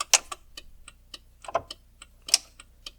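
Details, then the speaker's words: 1975 Jaguar XJ-S V12 with Lucas electrics after years of sitting: crisp, even hazard flasher relay ticks in a quiet cabin; the hazard is stuck on but working electrically. The switch button needs replacing or rebuilding and the fuse box has bad connections. "okay so i think that's the hazard that's stuck on now from so that's working at least electrically"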